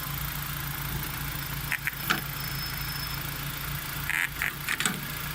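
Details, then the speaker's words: 2004 Nissan Sentra SE-R Spec-V, engine idling to supply vacuum: a junkyard vacuum solenoid for an exhaust cut-out, temporarily wired to the battery, clicks in short sharp clusters over a steady idle hum. It is working normally. "Alright, so now we have vacuum running to here, and you'll hear this solenoid popping."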